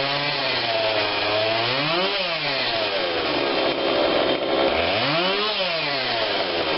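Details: Husqvarna 142 40cc chainsaw, long unused, after repair and carb tune-up while warm: revs up cleanly from idle and drops back smoothly twice, no bogging or sputter; low adjustment seemed unneeded; normal running.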